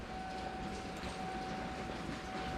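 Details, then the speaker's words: 1993 Ford F-150 farm truck, first start attempt after sitting 18 years: at key-on a thin steady hum holds one pitch the whole time, under background noise; fuel pump priming normally. "I'm gonna put the camera down in here. Let's listen for that beautiful sound."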